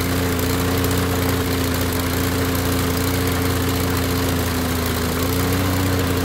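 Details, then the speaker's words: Toro Recycler lawnmower that would not start, after a cheap part was replaced and the empty fuel system refilled: takes several pulls, then catches into a steady, even drone with no misses, some white smoke from disuse; normal running. "no quiere no quiere pero ahí va señal de que ya arrancó"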